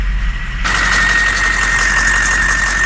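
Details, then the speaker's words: 2007 diesel under diagnosis for passenger-bank misfire codes, idling with a steady high-pitched squeal from a slipping serpentine belt that needs replacing. "add a freaking belt to the list too that damn thing i can hear it squealing and making all kinds of racket"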